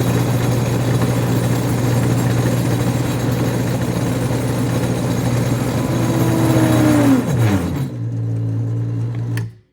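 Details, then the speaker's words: 1988 Chevrolet Corvette alternator on a bench starter/alternator tester: steady whir, then the whine drops sharply and winds down as the tester's breaker trips, line voltage below 90, test failed; dead alternator overloading the tester. "oh it tripped it it tripped the breaker that's crazy line voltage Dro below 90 test failed"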